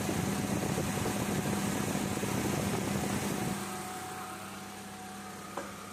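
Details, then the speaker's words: Proton Waja with gauges on the AC lines (static about 70 low, 150 high side), engine started and AC switched on: steady even idle, slight load as the compressor magnetic clutch coil engages, engine holds smoothly; normal idle with AC compressor engaged. "On, start, alright, kita on kompresor. Itu udah engage, saya udah boleh rasa dia punya magnetic coil engage."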